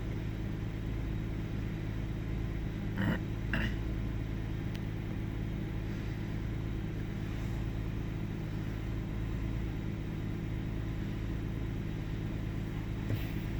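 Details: 1998 Ford Taurus SE OHV V6 at idle, hood open: quiet idle with an uneven beat, occasional stumbles and slight speed hunting. Intermittent misfire; earlier swung 400-1000 rpm without warning lights. Cause undiagnosed.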